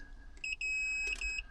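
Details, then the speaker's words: Multimeter continuity test on a campervan 12V fuse: short, steady high-pitched beeps as the probes touch connected points on one side of the fuse. Probes placed across the fuse give no beep, so the fuse is not conducting and power is still out. "That, you hear it, because this is connected. Obviously one end of a fuse and another, well, they should be connected."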